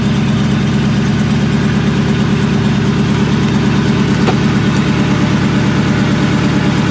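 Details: Supercharged 99-04 New Edge Mustang GT 2V (Vortech V1 Ti-Trim, 2.87 pulley, BBK 78mm throttle), first start after tune at performance shop: rough lumpy idle stumbling about twice a second under exhaust drone; one cylinder misfiring.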